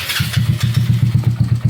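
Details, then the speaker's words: Motorcycle engine with reset valves and heavy porting, owner-reported noise: loose, uneven idle with a hollow knock about seven times a second under the exhaust beat; piston slap, and the mechanic suspects connecting rod bearing play and a ticking head. "Maiingay talaga siya. Feeling ko ano eh Conrad may alog na ah bearing siguro. Tapos sa head may lagitik din."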